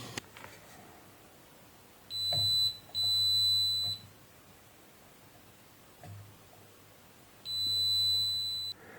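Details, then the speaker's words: Spider MMA-600 IGBT inverter welder that won't power on, with a flashing LED and a fan cycling on and off, DC rail discharged: the meter gives solid high continuity tones three times, a dead short in the high-current switching section; components to be disconnected. "जी यहाँ पर ये देखिए, ये short circuit है। ये भी यहाँ पर देखिए, ये शॉर्ट सर्किट है।"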